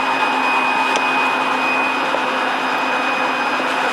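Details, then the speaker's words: Lincoln Navigator 5.4 DOHC engine, freed after seizing (a ring broke when forced), with a junkyard aftermarket fuel pump and repaired wire: steady, even high-pitched fuel pump buzz with no surging or rattling; normal fuel pump operation. "When I forced it, it broke the ring lads. You hear that fuel pump buzzing."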